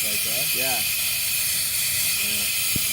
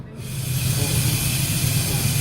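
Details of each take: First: Workshop air compressor that should cut out at 120 psi: steady sharp hiss right after the motor stops as the tank immediately bleeds pressure; owner suspects a faulty intake check valve. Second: you know what that was thanks that's the the bottom of the tank let's out the moisture automatically so when I plugged it back in it went to a cycle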